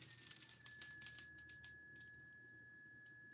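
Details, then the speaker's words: Gorf arcade monitor (K4600 chassis) after rebuild, first power-up: faint steady high-pitched whine under clicks and rustling; horizontal oscillator off frequency, needing adjustment. "Well, there's a high pitch noise. That's the horizontal oscillation making that noise."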